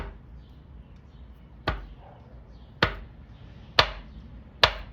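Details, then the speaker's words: Honda D16Y8 engine, head removed, crank turned slowly by hand from top dead center: four sharp metallic clunks from one piston not following, growing louder; rod bearing knock from excess clearance, missing or badly worn bearing. "Every time this one goes down, this one does not follow because the bearing has that much space, or the bearing is not there, or the bearing is worn out pretty bad."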